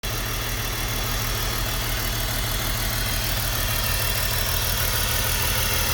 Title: BMW e46 - Running Rough and Throwing Code P1347 (Misfire Cylinder 3)